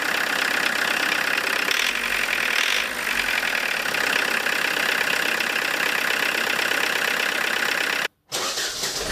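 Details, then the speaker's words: Diesel with Lucas DPC pump, injection timing about 1.5 mm or more advanced from TDC mark: harsh, uneven rattly clatter with heavy shaking, poor throttle response, sluggish — over-advanced injection timing. "Но дым дымом, но колбасит его очень сильно, трясет и жестко очень работает."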